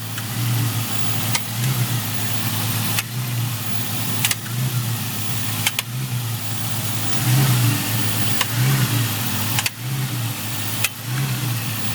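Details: Honda EP3 petrol engine with engine light and code P1259 (VTEC system malfunction); VTC solenoid, chain, tensioner replaced, valve clearances, oil pressure checked, oil changed. Idle with irregular sharp clunks every second or two and hunting revs; cause unknown.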